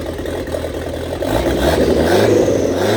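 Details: 1927 Ford Roadster with 2.3L turbo on fresh 91-octane fuel, first start after fuel-line repair and fan-switch install: engine catches and picks up to a busy, slightly uneven run with light clatter, revs climbing; running, no leaks, still needs tuning.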